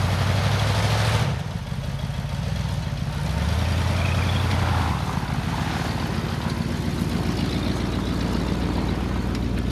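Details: 1978 Ford LTD, still cold after a -10°F start: steady low V8 burble above normal idle speed, no knocks or misses, just running a touch fast.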